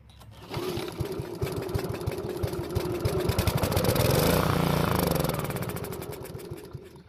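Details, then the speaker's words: Honda push mower stored over winter, old gas drained and refilled: starts and chugs at about three firing beats a second, then fades and dies; fuel starvation from clogged carburetor main jet. "unfortunately it ran but died soon after so that means we have a carburetor problem"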